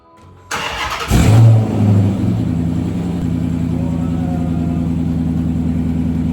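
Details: 2007 Dodge Charger 5.7 V8 after new exhaust pieces were welded in, clear of the driveshaft: it cranks, catches, blips, then settles into a deep, even, muted burble. Quieter than before: normal exhaust.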